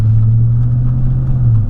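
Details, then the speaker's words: 2004 Chevy Silverado 5.3L driving after new GM fan clutch: steady low engine drone with no fan roar on acceleration; normal engine and fan sound while driving. "where I really heard it before that's nice no more fan Busch everybody we got her good deal glad that fixed it"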